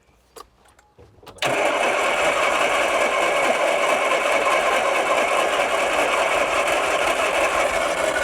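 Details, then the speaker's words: 1980s turbo hot hatch, 36,000 miles, unused since 1992, start attempt on jump pack with no added fuel, only vapour in it: starter spins into rough uneven churn, catching on some cylinders but not running; partial firing during cranking. "Right. Well, that is more positive than what it was, is it not?"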